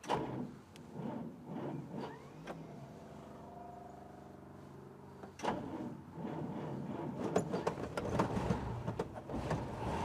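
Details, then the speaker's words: 1954 Packard Clipper Deluxe, straight-eight flathead, 6-volt positive-ground system with battery not fully charged, manual choke cable seized: several seconds of even starter whirring before it fires and settles to rough idle; long cranking from seized choke. "So choke also is not working. It's a manual choke. Cable is froze. I have not been able to free that up, so it might take a little bit here to get her going."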